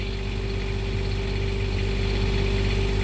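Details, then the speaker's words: Onan 7500 diesel generator (HDKAJ) in a 2001 Coachmen 380 MBS Class A RV, warmed up and dropped from high idle to regular idle before an oil change; steady, even low drone with no knocks, misses or hunting; normal idle. "All right, just to let you know, the diesel generator has gotten off its high idle, and it's now down to a regular idle now that it's warmed up."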